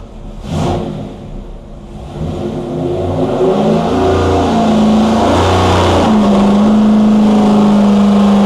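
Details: 426 Hemi V8 on a dyno after a bad piston was replaced, timing at 32°, pulled to 6500 rpm while listening for pinging: climbs smoothly to a high steady tone with no knocks, rattles or ticking; no valvetrain noise, normal high-rpm run.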